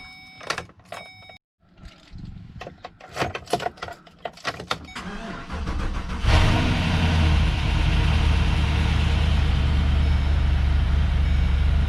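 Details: LS2 V8 truck first start after a driveway cam swap with new valve springs and pushrods, heads pulled, fresh oil and coolant: clatter, then catches about six seconds in and settles into a steady, deep, lumpy idle.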